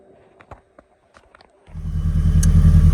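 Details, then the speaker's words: Ford Escort XR3i rough runner, first crank after checking the timing, inspecting the distributor and fitting a new fuel filter: a few light clicks, then it catches at once and settles into a steady, even low idle on its own; normal engine start. "So guys, just cranked it. Before we did it, we just checked the timing to make sure that we're all in line. But as you can hear, it started."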